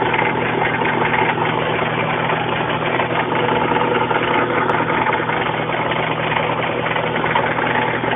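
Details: Suzuki Samurai: steady idle hum with irregular tapping rattle about two to three a second on top; cause unknown; abnormal engine noise at idle.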